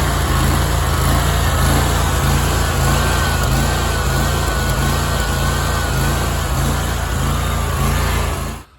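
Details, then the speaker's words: Big Dog Stout lawnmower engine surging for a couple of years at low idle, not under load; speed swells and sags in slow waves. Owner believes the carburetor's two top welch (freeze) plugs came out; new welch plugs fixed it. "So This Is Our Big Dog lawnmower it's the Stout model and for the past couple years it's really been surging a lot you can just hear at a low idle or just setting not under a load"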